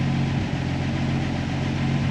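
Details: Jeep Willys converted to FuelTech programmable fuel injection: steady petrol idle with an even low beat, sitting a little fast and staying there; idle is set too high after a fuel correction change.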